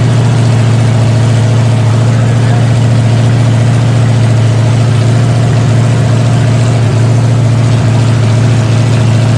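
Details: Freshly rebuilt 454 Chevy big block V8 with new pistons, from a 1973 Chevelle SS 4-speed, on a break-in stand just after break-in: deep steady idle with even smooth lope, no knocks or ticks; normal healthy running, some fine tuning remaining.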